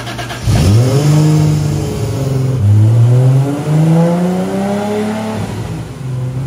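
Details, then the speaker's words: Rat Rod Supra, about 1,300 hp, after the mystery issue was fixed: a strong, clean pull through the gears with smooth pitch climb. The turbo seemingly tapped out, possibly near 1,272 hp; healthy full-boost acceleration. "122 solid that was solid I think that turbo tapped out I can see the boot number starting to fall"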